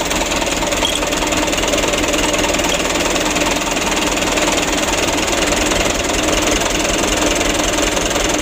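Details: 2008 Mitsubishi Canter 125 diesel truck, brought in for shaking engine, long cranking and low power, heard after intake work and engine tuning: steady, even diesel clatter at idle with no hunting, misfire or shake; normal diesel idle.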